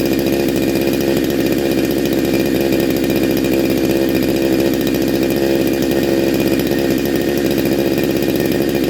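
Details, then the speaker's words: Neo-tec NH872 chainsaw (372XP clone) with big bore kit, cold start on a later heat cycle, about 22–25°C: high, even two-stroke scream held steady at revs with no misses, rattles or surging; running cleanly and strongly. "oh oh oh r one all sound awesome absolutely awesome"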